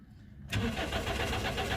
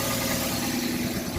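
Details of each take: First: 2005 Toyota Corolla with an intermittent no-start: steady starter cranking for about three seconds at an even beat around four a second, never fires. Diagnostic codes point to a suspected ignition circuit fault. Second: 2005 Toyota Corolla with an intermittent no-start complaint, here catching and settling into a steady, even idle with no knocks or misses.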